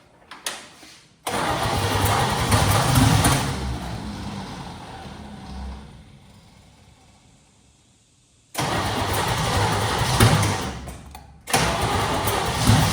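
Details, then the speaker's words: Junkyard 1969 Chevy C10 small-block, start attempts with spark present; repeated laboured, dragging cranking bursts with long pauses and no catch, starter struggling badly; owner suspects a sticking carburetor and poor cap and rotor. "That starter just keeps going. Well, we start to bark The starter just ain't happy."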